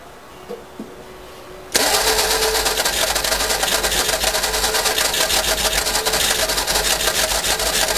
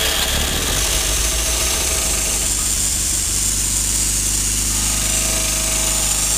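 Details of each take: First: Cranking and attempted start of a 1952 Fordson E83W pickup fitted with a 100E engine, sitting since 1982 and seized, freed of two stuck pistons and two stuck valves; quiet, then loud fast rough clatter about three beats a second. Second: 1952 Fordson E83W pickup with a 100E four-cylinder, first start in 27 years after being freed from seizure (two stuck pistons and valves): it catches with choke and runs at a steady idle with busy mechanical clatter.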